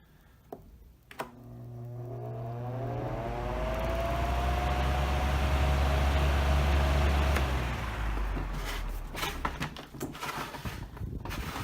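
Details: Air King 16-inch table fan with slightly off-balance blades. A low hum, then a smooth whir climbing steadily in pitch as the blades spin up, even and clean; a normal, powerful fan startup.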